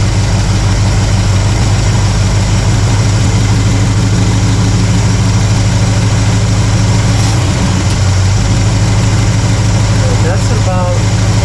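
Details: Warm carbureted V8 (1968 Pontiac LeMans or Chevy C10) while the idle mixture screws are turned a quarter turn at a time: deep, fairly steady lope at about three beats a second, even, with no misses or knocks. Normal idle.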